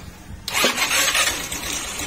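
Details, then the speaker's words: Motorstar Easyride 150 after reconnecting primary wiring and checking CDI, long stored: catches into loud busy clatter over a weak low idle; mechanic suspects loose timing chain, will check valve clearance and clean carburetor. "umandar na siya mga parekoy Ang problema lang dito umandar siya kaya lang ang problema itong ito che-check natin ung kanyang timing chain baka maluwag kasi napakaingay po niya"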